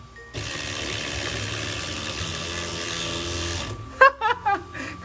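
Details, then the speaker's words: HB R1001 Ford Bronco RC crawler gearbox with a full-metal shifter: the motor whir stops, then three sharp clacks as the gear tries to engage on shifting; the gear is skipping and should be fixed before further driving. "kalau kalian sudah dengar suara kayak gini Mending jangan dilanjutin karena menghindari kerontokan dan kefatalan Gear yang lain ya"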